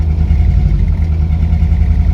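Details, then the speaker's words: VW Golf Mk1 1.4 carburettor, abandoned car first starting after joining a cut wire, fuel low, smoking a bit: low, lumpy idle with an uneven beat that stumbles now and then; misfire, cause not identified. "But it's got a misfire, but that I can deal with. That's nothing serious."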